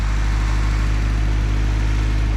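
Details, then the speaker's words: Newly bought project car after gasket work and reassembly; petrol engine no longer at 4,000 rpm but still idling high with a steady even hum; idle air control valve has gone bad and needs replacing. "there you have it she's not at four grand anymore uh she's still right idling high but at least now i know what to replace idle air control valve's gone bad"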